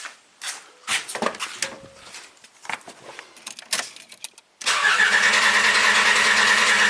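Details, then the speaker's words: Vehicle cranked on a portable jump starter during a jump starter test: strong, even, fast starter whirr at steady pitch with no hesitation, faster than with a regular battery; normal cranking. "I mean that cranks faster than with a regular battery these jump starters are amazing"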